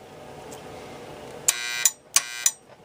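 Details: 1961 Seeburg AY100U jukebox cancel/latch bar solenoid, rod pushed by pencil: two short harsh electric buzzes about half a second each, nothing engaging; 25 volts is reaching the solenoid but the mechanism fails to trip.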